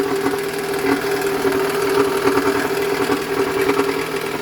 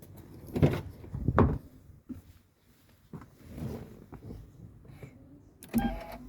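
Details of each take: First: Toyota Alphard ANH20 idling very harshly with gritty rattle and irregular knocking; initial diagnosis likely a broken balancer shaft gear whose fragments clog the oil strainer, starving oil to the cylinder head; fix is balancer shaft replacement plus oil and filter change. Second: Toyota Alphard ANH20, high mileage, after replacing the balancer shaft plus oil and a genuine Toyota oil filter. A few clunks, then it starts and settles into a smooth, even idle with no knocking. Before the fix it ran very rough from restricted oil circulation.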